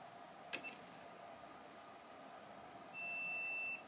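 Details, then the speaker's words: Multimeter continuity buzzer on a Samsung TV (sound normal, no picture, backlight on) T-con/LCD panel supply: steady high-pitched beep for about a second across the outermost panel capacitor, meaning that supply line is possibly shorted. "Oke, kapasitor terluar ini memicu bunyi bel. Itu berarti ada kemungkinan terjadi korsleting."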